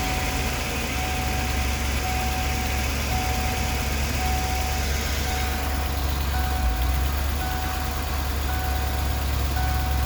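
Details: 1994 Ford E350 Club Wagon 351 V8 idling dead cold: deep uneven beats with occasional stumble and hesitation; misfire worse cold, improves warm, most noticeable under load uphill; cause unknown.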